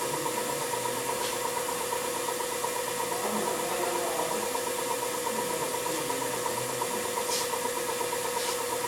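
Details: Semitool 270-F spin rinse dryer, refurbished to like-new, running a dry cycle: steady even whir with a constant tone near 1 kHz and faint regular ticking, no grinding or rubbing. Normal, healthy dry cycle.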